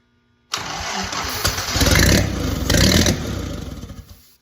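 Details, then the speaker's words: Original WWII Willys Go Devil engine, not run in decades, just after its first start with timing thought close: catches at once and revs up and down with even, steady firing; runs smoothly and sounds healthy. "Woohoo! Dang, that sounds perfect."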